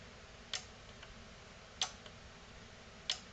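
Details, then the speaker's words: NAD C370 amplifier after replacing capacitors and resoldering, at power-on with a green light: a few sharp, separate clicks about once a second over a quiet room. Speaker output relays now switching normally. "turn it on green light ah i hear relay's clicking when i do that now"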